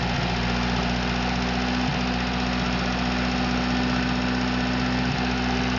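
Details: Atomic 4 inboard engine overhauled last summer (new pistons, rings, valve springs, plugs, wires, higher-flow water pump), started without choke on a test stand for a 17-foot homemade wooden boat, alternator off: smooth, even idle, steady low beat, no knocks or misses; normal idle.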